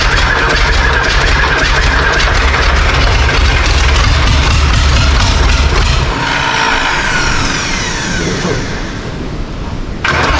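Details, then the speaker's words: John Deere 3130 diesel tractor first start after long standing, intake off: heavy low diesel churning for several seconds that lightens and changes tone; cranking, needs more heat before firing. "Sounds like it needs a bit of heat."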